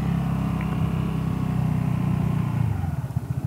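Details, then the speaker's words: Vespa GTS 300 on test ride after fitting Dr Pulley Tech Pulley variator rollers against low-rpm pull-away clatter; slow pull-away with smooth even drone, pulses stretching as it slows, no rattle or judder; CVT drive healthy. "so bei langsamen anfahrten dabei ist also da ist jetzt keinen starren mehr zu hören das scheint also wirklich gut zu funktionieren"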